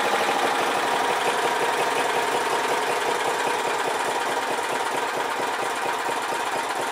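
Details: Old 4 HP Briggs & Stratton lawnmower engine after carburetor cleaning and reinstall (it had loped at full throttle, suspected plugged mid-circuit); quick, even putter at low idle with no misses or surging, running good now.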